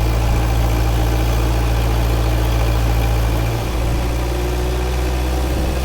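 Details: Freshly rebuilt 1931 Ford Model A four-cylinder on dyno, stock point distributor, Model A carb and manifold, 6-volt setup; steady even low rumble with smooth regular firing beat, no knocks or ticks; normal running.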